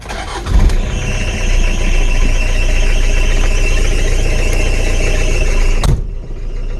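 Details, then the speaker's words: Diesel truck cold start after waiting for glow light, belts due for replacement and a suspected fuel hose leak: cranks, catches, runs rough with a thin steady high squeal until shutdown; worn drive belts slipping. "you'll hear the belt squeal probably but i gotta move this anyway i might as well do start up here on this had to wait for the light to go out"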